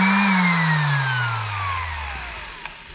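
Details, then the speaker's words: DeWalt sander after a dirty, intermittent power switch was worked back and forth (motor found good): high clean motor whine runs steady, then falls smoothly as it coasts down; motor spins freely, normal running. "But I think just rocking it a few more times and it's good to go."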